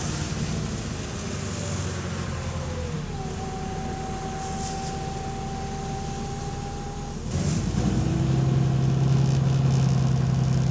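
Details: Onboard a diesel bus (DW447) on route 269 pulling away: deep engine drone under a gear whine, growing rougher and louder under load, with an exhaust leak.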